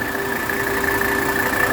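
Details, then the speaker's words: 1984 Mercedes 300D diesel at idle. The auxiliary fan kicks on when triggered by the AC pressure switch, giving a steady, even fan whir over a smooth diesel idle with no wobble or scraping. Auxiliary fan working normally. "auxiliary fan correctly kicked on and that comes on when the AC pressure switch triggers it so that's correctly working"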